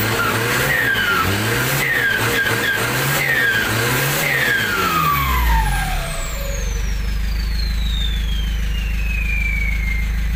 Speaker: คันนี้รถที่บ้านครับเป็นเครื่อง TD27เครื่อง27แล้วก็ใส่เทอร์โบของ Z18 เหมือนกันนะครับติดมาหลายปีแล้วก็ยังใช้งานได้ดี